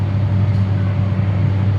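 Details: Diesel generator (DG) started manually from the synchronise panel during weekly manual test, showing 414 volts; steady, even low drone with no knocks, misses or surging, running smoothly and healthy.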